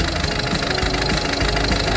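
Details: Peugeot 308 after replacing the number four injector for a misfire (high circuit) and clearing stored fault codes: even, regular idle pulses with no stumble or skipped beats, all cylinders firing; normal idle.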